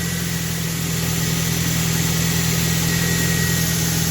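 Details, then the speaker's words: Auction vehicle: starts readily and settles into an even, steady idle with a smooth low hum and no misses, ticks or knocks; engine runs clean. "starts she don't sound bad at all either"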